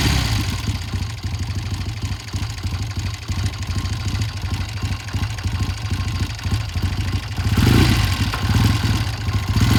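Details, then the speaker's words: 1972 Triumph TR6 motorcycle twin, cold after front sprocket and chain work: uneven, stumbling beat with pulses dropping out and surging, clearing once warm; rough running when cold, pilot jet suspected. "that's breaking up pretty good there all right that sounds pretty bad I'm going to check the pilot jet when it comes back"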